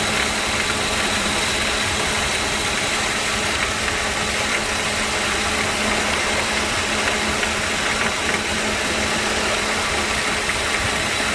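A constant loud hiss with a steady low hum runs evenly over the idling engine; the compressor is making a noise.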